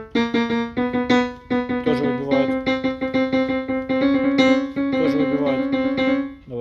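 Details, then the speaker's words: Yamaha Clavinova CLP digital piano after cleaning: some notes and chords strike louder than others at the same touch, uneven velocity response; diagnosis found worn, dirty contact rubbers and key matrix faults. "Основная проблема у вас была помимо то, что механический звук, у вас ещё и ноты выбивают."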